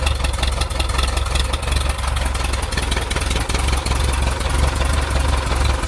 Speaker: Alright, so I'm hearing a knocking sound in this 1.7 liter Volkswagen motor.